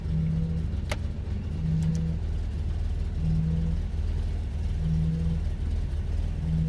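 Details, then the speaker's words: 1987 Nissan Pathfinder VG30i converted to a Weber carburetor: deep, steady idle that dips slightly but holds even with the AC on and the compressor clutch engaged; normal idle under AC load. "still idling it dropped it down a little bit let's go see if the AC clutch is engaged it should be"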